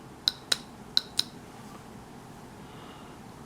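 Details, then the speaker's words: 1994 Saab 9000 ABS valve body, off the car with the pump head cleaned and inspected, solenoids actuated by hand from the wiring diagram: four sharp, crisp clicks in quick pairs in a quiet room; solenoids snap open and shut normally, valve body fine. "can't really see anything now you can do is hear them the solenoids work so the valve body is fine working from uh from that perspective"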